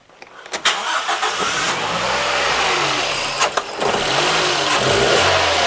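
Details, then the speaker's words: Toyota Echo restarted with the MAF sensor unplugged (ignition off first): revs climb and settle cleanly with no stumble, so the earlier hesitation is gone. This points toward a faulty MAF, though not definitive. "Okay, hesitation was gone. That's not a total definitive, but it's certainly pointing it in the correct direction."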